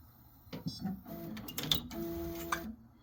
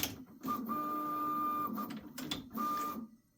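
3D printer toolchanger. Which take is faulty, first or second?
first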